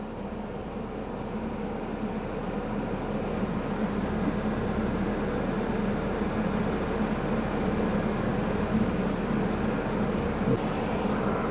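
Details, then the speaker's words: Ford Escort 1.6 16v idling with cabin blower on maximum, cold setting, air conditioning off: steady low engine hum under even rushing fan roar, no knocks or squeals; normal. "it might be a little bit noisy in here because I got the because I got the fan speed on and uh I'm right now setting up a temp gauge the fan speed is on maximum on cold"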